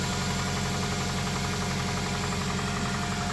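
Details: 2001 Toyota Tacoma with 220k miles and code P0303, first start after new coil packs with a freshly charged battery: a rough-edged idle with uneven tapping just over two per second, possibly a valve; cause not confirmed.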